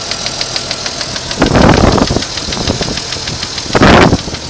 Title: Strange ticking noise 92 Jeep Cherokee